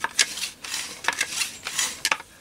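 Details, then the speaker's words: Setra pump-up air rifle during reassembly after repair, before valve housing refitted; crisp even hiss-and-click pump strokes with no wheeze or leak; normal pump stroke. "so now I can actually pick that rifle up and pump air"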